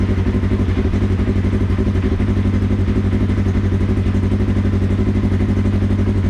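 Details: Polaris RZR 1000XP first startup after fitting new Flowmaster XDR dual exhaust: deep even exhaust throb about four pulses a second, steady with no misses, knocks or ticking; normal cold start and revving.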